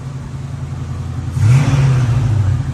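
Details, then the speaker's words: 1950 Plymouth Deluxe off road 23 years, quiet steady idle then smooth clean throttle blip, running on engine fuel pump from gas can; choke poor, temperature slightly warm, no oil pressure reading. "choke doesn't work great but it does idle and it's got breaks and gears"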